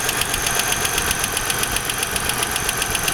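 A sharp, regular knock of about four per second sits over the idle, steady and even; source of the knock not pinned down.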